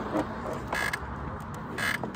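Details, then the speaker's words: Crashed Honda CBR with Yoshimura exhaust, needing front brakes: two short high-pitched squeaks, each about a fifth of a second, as rider hops on; mystery squeak under load, source unknown. "it needs front brakes and it needs whatever squeaky sound is going on when i hop on like this"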